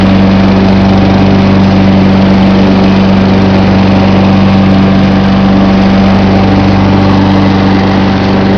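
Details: John Deere 14SE mower, Kawasaki FC150V engine, started cold with choke on, camcorder set on top of the engine: smooth, steady low idle putter about four beats a second, no stumbles or knocks; normal idle.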